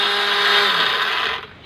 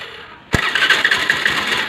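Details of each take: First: Honda Dio scooter electric self-start: harsh high whirring grind while the starter spins, then dying away; this sound indicates a worn starter drive (bendix) that needs replacing. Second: Honda Dio scooter self-start problem after replacing the bendix (starter drive), self-starter motor good: short clean crank, engine catches and settles into a steady idle with no starter grinding; normal electric start after repair.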